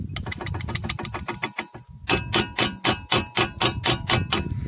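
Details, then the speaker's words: Mazda 626 brake caliper rattling over uneven road, like a bucket of bolts: loose metallic clunks about four a second, caused by worn, enlarged caliper guide pin bores. "Когда гремит или стучит суппорт, особенно по неровной дороге. Прям едешь, такое ощущение, что тут вместо колеса ведро с болтами."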